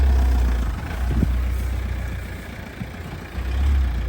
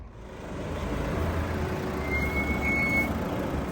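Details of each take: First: Toyota Avensis T270 D4D diesel after sorting the brake anti-rattle clips that caused squeaking: steady low diesel rumble with no squeal or scrape; the brakes are now quiet. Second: Toyota Avensis T270 D4D slowing: thin high steady brake squeal rising about a second over low rumble; caused by the anti-rattle clips, bearings ruled out.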